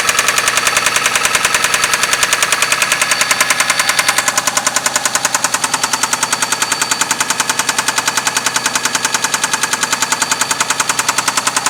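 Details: 6A13 engine at night, started with difficulty; loud, sharp metallic knock about three and a half per second over the idle, present from startup, loudest between the heads; oil pressure lamp off, no misfire; cause unknown.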